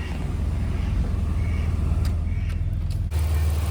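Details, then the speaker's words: 2000 Chevrolet Camaro at idle after replacing a bad remanufactured AC compressor with a new one, compressor switched off and not spinning: steady low engine hum, no grinding from the compressor pulley; quiet and normal. "now now that the compressor is off you see it's no longer spinning it is nice and quiet it ain't grinding like the old one was or the remand one was"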